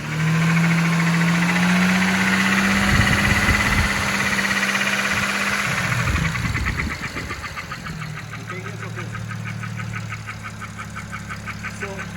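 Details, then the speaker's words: BMW 335i N54 with a temporary repair to a snapped injector bolt in the head: a sharp, regular knock at about 200 per minute rides over the idle; a knocking in the head, and the engine is judged no good. "I'll leave a little clip of the car running so you can hear the knock so that's everything for today guys thanks for tuning in"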